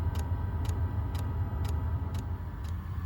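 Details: Chinese diesel night heater in a camper van, phone about six inches from the stock fuel dosing pump with the hatch open: sharp, evenly spaced ticks about twice a second over a low hum; loud fuel pump ticking.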